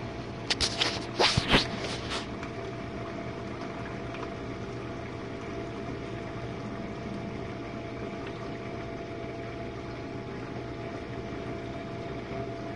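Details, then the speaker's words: Jenn-Air dishwasher on Quick Wash cycle with no heat dry, one Cascade pod, main wash after detergent dispenser opens; earlier had low recirculation noises from suds. Steady pump hum under even water swishing, no grinding, rattling or surging. Normal wash. "And this is the main wash, guys."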